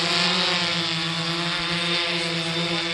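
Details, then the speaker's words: 3DR Solo quadcopter in flight just after swapping the OEM motors for Emax MT2216 810KV motors, tested for quietness and low amp draw: an even, high-pitched whir with no grinding or rough bearing noise, sound lowered; normal motor hum. "I noticed after changing the motors from the ome motors on that solo to these new motors it has lowered to sound down"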